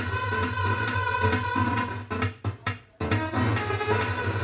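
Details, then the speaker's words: Ahuja SPA 5000 500-watt amplifier with a badly shorted transistor, playing MP3 from a phone with volume raised: muddy, harsh music over a steady low hum with brief dropouts; output badly distorted before bias and supply voltage checks. "और आप सुन रहे हैं इसकी आवाज़ बिल्कुल ख़राब आवाज़ आ रही है यहाँ पर।"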